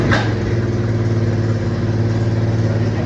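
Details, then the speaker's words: 1979 Honda CT90 single-cylinder idling: light tinny metallic cam chain rattle over the steady low thump, even at full adjustment, before cam chain replacement. "See that little tingy noise? That's that cam chain rattling around."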